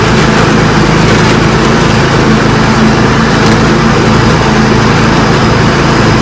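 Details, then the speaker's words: John Deere lawn tractor with a Kawasaki V-twin after replacing the ignition coils, spark plug caps and NGK BMR6A plugs, following very weak spark on one side; a loud, steady, even drone with no misses, both cylinders firing cleanly. "Wow, what a difference. Huge difference. I didn't realize how bad she was."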